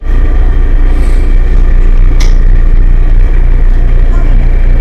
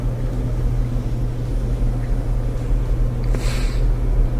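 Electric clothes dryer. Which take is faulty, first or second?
first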